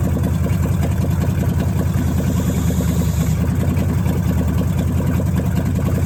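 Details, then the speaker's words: Dodge Challenger V8 with Terminator X EFI after replacing fouled spark plugs and fixing a vacuum hose, now hitting a 13.8 AFR target: even, steady low idle rumble with no misses. "and it idles so much better now so i'm excited to really hear uh what this thing sounds like"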